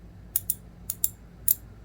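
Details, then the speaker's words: Master Mechanic T1260 round-head twin-pawl ratchet with cast zinc reverse knob: crisp, even clicks on the return swing, normal ratchet operation though internals have too much play. "sounds like a twin paw that is a cast zinc reverse knob"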